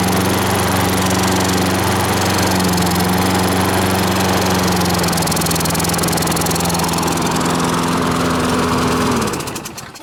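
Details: Small engine running on choke: low, labouring drone that never picks up speed, then sags and dies; bogging, suspected debris on the governor stopping it revving.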